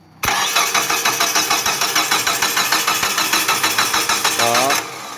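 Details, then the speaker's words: Distributorless engine, car stalled all day: starter spins steadily about three compressions a second for four seconds, never fires; damaged TDC (cam position) sensor connector socket stops ECU finding cylinder 1 timing, fixed without replacing parts. "eh jadi tidak bisa nggak bisa hidup Hai walaupun starter berapa kali tidak bisa hidup"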